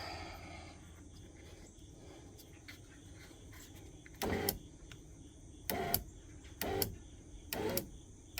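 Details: 1997 Jeep Cherokee XJ driver's door after replacing window regulator, motor and switch: short bursts of even motor whir as the glass is jogged slowly, no grinding or binding; normal power window operation.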